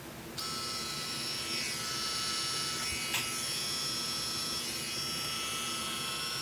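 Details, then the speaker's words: Miniware ES15S electric screwdriver after cleaning, gear lubrication and reassembly, impact setting off: a smooth, steady high-pitched whir with an even tone and no clicking or grinding; the noise is fixed and it runs freely. "Anyways, yeah, that's how your screwdriver should perform."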